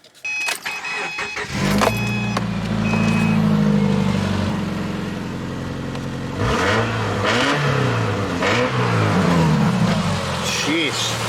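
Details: Clapped-out Subaru with a jerry-rigged exhaust and a near non-existent joint: it cranks, catches and revs with a loud, raspy, uneven exhaust note, likely a leaking or botched exhaust joint; the cause is suspected, not confirmed.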